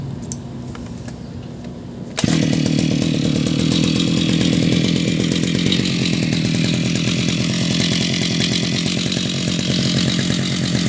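Engine catches after two seconds, then runs with a steady, even high-revving two-stroke buzz and no stumbling; healthy running.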